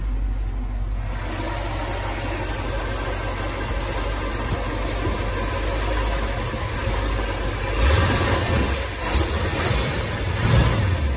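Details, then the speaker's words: 1971 Ford F100 V8 after replacing worn paper header gaskets with Remflex gaskets and metal collector gaskets, chilly evening; steady low rumble with short throttle blips, exhaust tick and rattle gone. Normal running, no exhaust tick. "i'm not a tick tick tick anymore that rattling"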